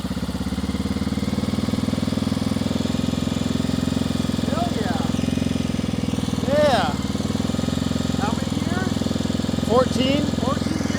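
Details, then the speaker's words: 1994 Honda XR650L unstarted for 14 years, running from a makeshift gas can after spark was restored, first start on choke with some smoke; the single-cylinder thump settles into a steady, fairly even idle under voices. Normal idle. "freaking idle wow 14 years of sleeping day one we got it fired up at that idle"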